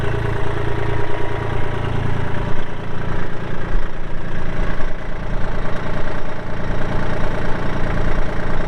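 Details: 2016 Kubota L2501 tractor, 162 hours, hydro, 4WD with LA525 loader: even low diesel clatter holding a steady idle beat, no knocks or misses; healthy.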